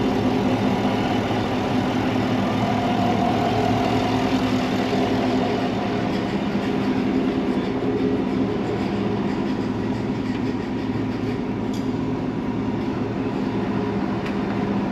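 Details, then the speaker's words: 2017 Cadillac Escalade 6.2 LT V8 with BTR cam, DOD delete and Corsa exhaust, idling at first startup on Holley while burping cooling system and warming oil: steady deep idle with slightly uneven lope, no knocks or ticks; normal idle. "She's idling. We're burping the cooling system, getting the oil nice and hot. She sounds real good."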